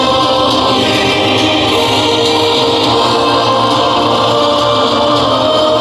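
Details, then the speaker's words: JBL Charge 3 Bluetooth speaker that crackled at high volume, after battery replacement: choral music plays full and even at loud volume with no crackle, buzz or dropouts; speaker sounds healthy, battery replacement fixed it. "Yeah. This is perfect. It sounds perfectly nice and no more crackle."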